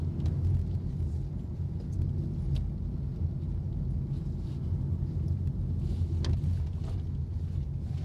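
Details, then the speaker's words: Honda Jazz GK5 after cabin sound-deadening, in-cabin at 60 km/h on rough asphalt: a steady low tyre rumble and hum, present but much reduced compared with standard; normal tyre road noise. "jadi Honda Jazz itu kalau masih standar suara dengungan bannya itu bener-bener kerasa banget tapi di sini itu masih ada tapi jauh lebih berkurang"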